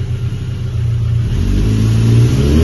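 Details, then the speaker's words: Suzuki GSX 750 Inazuma motorcycle after an oil change and front fork rebuild: clean rise in revs with a smooth, even exhaust note and no knocks; picks up throttle flawlessly, though the chain rattles slightly and the sprocket ticks at 500. "itt gyönyörűen megy hibátlan veszi a apot örög mint a vaddisznó"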